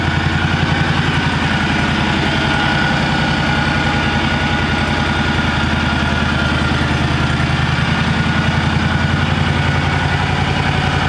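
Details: John Deere 757 mower owned since new, first start of the year after sitting since last fall on fresh gas: steady, even idle with a smooth low thrum, no knocks or misses; normal running.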